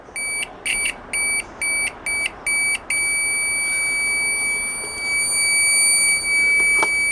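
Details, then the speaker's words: Chinese multimeter continuity buzzer, originally very faint, replaced with a microwave oven buzzer: six sharp high beeps then a loud steady piercing tone, much better. "está mucho mejor mucho mejor amigos mucho mejor"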